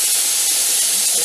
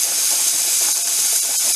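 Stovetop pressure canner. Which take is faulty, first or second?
second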